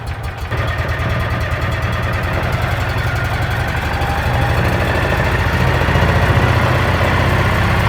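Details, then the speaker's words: Salvage-auction Mule side-by-side started without choke after sitting with stale gasoline: steady, even low thrum at idle with a smooth regular beat, no knocks or misses; runs healthily. "You didn't even choke it. Okay, that went better than I thought it would."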